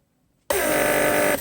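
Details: Mercedes W140 central locking pump, repaired, on bench test, operating the trunk handle circuit (pressure pushes handle out, vacuum pulls it back); clean start, even steady buzz under a second then stop — normal pump operation.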